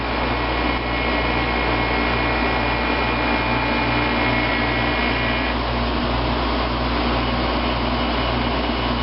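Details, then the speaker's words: 1995 Fedders window air conditioner, unused since summer, heard outside near the compressor: steady even compressor hum and smooth fan whoosh, no rattles or knocks; runs quiet and cools well. "and here here it is outside with the compressor running it's real quiet"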